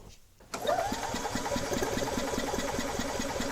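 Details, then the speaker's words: 2004 EZGO TXT gas golf cart, crank-no-start: quick even strong starter chugging during compression test, reading rising from 152 to 155 psi; good compression, healthy engine. "at that see what a difference that made 152 psi now 155 look at that this is a good motor or a good engine 155 that's like air compressor territory right there"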